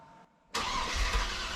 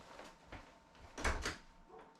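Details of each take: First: So, this is me just cranking the engine over a couple of times just to make sure that everything turns over, there's no nasty clunks before we go to start it. Okay, so everything's fine on cranking over. No untoward noises. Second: Classic Range Rover boosted V8 with EFI and LPG emulator, first start after build: V8 fires and holds a heavy, strained, labored idle; builder suspects ignition timing and adjusts distributor by hand, power steering pump drawing air.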